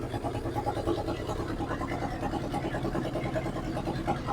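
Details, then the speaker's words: 1963 Ford F100 unibody pickup, not run in over 20 years, idling at first start: even, quiet idle with no valve train noise or top-end ticking, so it has oil pressure; the cut-off exhaust pops and taps the cross member. "there's no valve train noise at all that pumpkin is right there from that exhaust pipe this motor is quiet as a church mouse"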